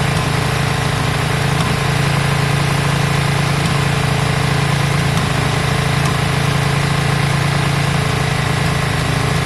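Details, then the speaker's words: Yamaha Virago V-twin after carb work, just started with choke on: it settles into a steady, even thump of about three and a half beats a second. It idles smoothly and doesn't sound too bad. "it doesn't sound too bad it doesn't sound too bad at all"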